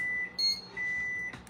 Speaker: Oh, that's my other timer. Oh, my god. WE'VE GOT BUZZERS BEEPING ALL OVER THE PLACE.